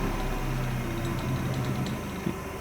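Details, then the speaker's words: Restored 1965 Craftsman bench grinder with a Harbor Freight wheel, coasting down: steady low hum dropping with a faint uneven throb, vibration felt and grinder walking without brackets, seemingly from that side; grinding wheel imbalance, owner plans a truer 60-grit wheel. "not terrible i mean it is pretty smooth but you could feel the vibration and when i didn't have the brackets on it it really it did want to walk a little bit and slide a little"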